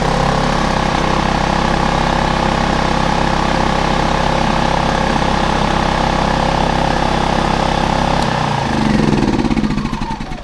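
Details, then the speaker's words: Generator serviced after sitting with dead flat battery and empty tank, freshly fuelled, started on choke: small engine holds a smooth, even hum at steady speed with no misses or knocks, then runs down; sounds healthy. "all right it's alive"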